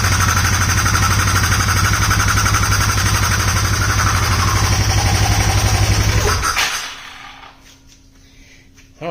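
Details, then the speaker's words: Polaris Sportsman 570 single-cylinder first start after rebuild, cam chain tensioner left untightened and most oil lost: sharp regular tapping about four times a second at idle; knock or tick, source unclear. "uhoh I forgot to tighten the camchain tensioner and most of the oil poured out"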